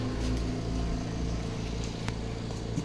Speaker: so all those are spinning up to speed